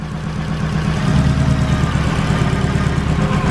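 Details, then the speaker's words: Turbo EK at idle, sounding like a Subaru: uneven, lumpy stumble from a clogged injector. Unplugging any other injector makes it worse, while unplugging the clogged one changes nothing. "speaking of injectors you see how this thing sounds like a subaru [Music] that's because one of the injectors is clogged on this thing"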